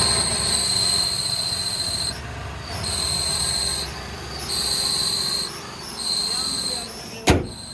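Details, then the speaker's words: Renault Kwid: a high chirping squeal comes in bursts each time the clutch pedal is pressed and stops on release; alternator and AC belts checked fine. "तो जब भी मैं clutch दबाना तभी आवाज आती है।"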